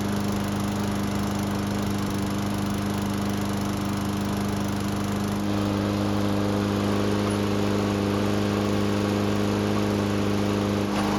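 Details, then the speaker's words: Toro lawnmower, couple of years old, hot restart after fixing no-start and checking oil level: started on one pull, steady even single-cylinder drone with no misses, surges or knocks. "Well, this time, it only needed the 1 pull to get it to start back up, which is a huge improvement."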